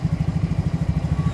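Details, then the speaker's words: Yamaha Mio J scooter, hard to start, rough running, stalls off throttle, injector already replaced without cure: low thumping idle about eight beats a second, slightly lumpy and uneven; rough running. "juga brebet tarian berat kemudian lepas gas mati jadi matian motor lepas gas mati"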